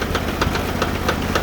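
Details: Sears Suburban garden tractor, fourth transmission this year, idling after failing while moving firewood: sharp evenly spaced knocks about four a second over low drone; transaxle knock, stops when power off, input bearing suspected, low range already not working.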